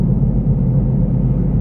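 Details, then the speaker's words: Mitsubishi Outlander front-drive, while driving: steady deep droning rumble that grows louder with speed; suspected unevenly worn tire or worn wheel bearing, not yet confirmed. "Ini biasanya kalau enggak ban dia itu makan yang enggak rata, itu bisa karena bearingnya dia aus. Ini kalau nambah kecepatan, dia makin lama makin bunyi. Makin kencang makin bunyi."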